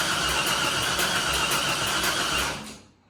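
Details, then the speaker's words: Nissan D21 Hardbody truck with LS V8 swap, refitted truck intake manifold and troublesome wiring harness: steady starter cranking about four beats a second for over two seconds, never catching, then stops; cranks but won't start. "I don't know I mean that didn't make any kind of bad sound I didn't make the sound we want to hear the stinky little motor"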